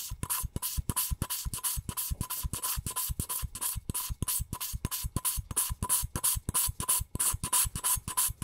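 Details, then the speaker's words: Nissan SR20DET engine teardown, valve job: quick rhythmic rasping scrapes, about three a second, as the valve is twisted back and forth on its seat with fine lapping compound. "Dan inilah beberapa cuplikan suara kalau pakai angka sarjana seperti ini Ya udah kalau pakai yang fine suaranya seperti ini"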